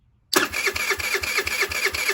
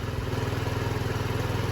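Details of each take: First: 2007 Diamo Retro 50 GY6 scooter with a newly installed intake tube. The fuel petcock works and there is fuel in the system, but it won't fire though it ran days earlier. Starter churns evenly about five beats a second for eight seconds. Crank, no start; cause unconfirmed. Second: 2007 Diamo Retro 50 GY6 single-cylinder scooter with a new intake tube, on non-ethanol fuel with the original fuel petcock, idling. Quick, even pulse with a steady low drone and no misses or knocks. Normal idle.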